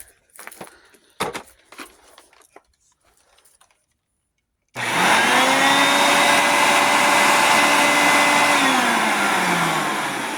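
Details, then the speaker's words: Hoover Concept One self-propelled upright vacuum, brush roll raised, just plugged in: motor spins up to a steady high whir with a smooth airy rush and no grinding; it works normally. "Sounds like she works."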